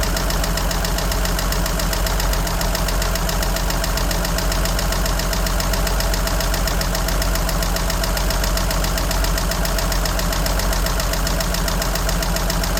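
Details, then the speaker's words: 1963 Jeep Gladiator at a rough idle: a sharp, even tick of about three to four per second from the top end. Oil is very dirty and two quarts low, and the battery drains quickly. Cause not found. "And evidently, she's still ticking. And something is weird with this. You hear the tick? I hear the tick."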